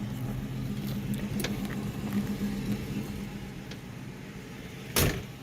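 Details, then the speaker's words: 1967 Mustang revived after sitting 20+ years, with a new oil pump, started cold: low, slightly uneven loping idle with a sharp bang; the owner suspects the choke and says the timing isn't dialed in. "good she runs a little rough when you first start her if she's cold part of that so I still have a choke working I think and I need to get the timing dialed in on her"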